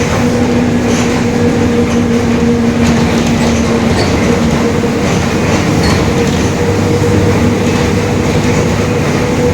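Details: 2021 Marcopolo Torino S bus on Mercedes-Benz OF-1721 Bluetec 5 chassis, extended, urban intercity service: steady low droning hum over road noise while cruising, a growling differential.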